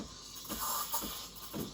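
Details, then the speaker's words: Breville Barista Express BES870 steam wand frothing milk: steady hiss with rhythmic gurgling bursts as wand tip moves between deep in the milk (less foam) and near the surface (more foam); normal milk steaming. "you can even hear the sound change so this is deep and this is close to the surface"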